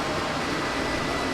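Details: RV furnace blower motor after repair from mice sucked into it, which had caused a rumble like a failing car blower: steady even rushing whoosh with no rubbing, chirping or rattling as it warms up. Normal furnace blower.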